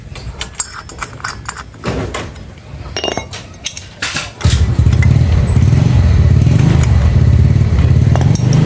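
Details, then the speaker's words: Yamaha Mio Soul GT 125 FI scooter, previously had a block replacement: coarse, rattly engine run with a steady rough beat; internal engine noise suspected from the piston, block or connecting rod, unconfirmed. "karena ini sudah bisa dipastikan ini suara bagian mesin ya suara bagian mesin bisa dari piston blok seher dan bisa juga stang stangnya kena ya"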